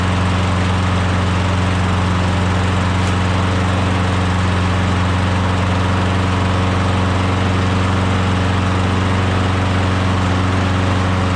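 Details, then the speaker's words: Briggs Quantum mower engine after a compression test, before being swapped to another mower: starts easily and holds a smooth, steady low drone without stumbling or knocking; normal running. "sounds good starts easy sounds good that's it"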